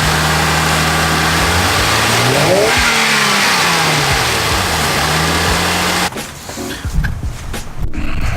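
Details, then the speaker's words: Toyota 2JZ in an IS300, after new bolts and two new exhaust gaskets sealed a big hole in the exhaust: revs up and drops back to a steady, even idle with no puffing or ticking, sounding good again. "that is more like it 2j sound good but now when they got a big old hole in them in the exhaust system so 16 dollars and we're sounding good again totally worth it"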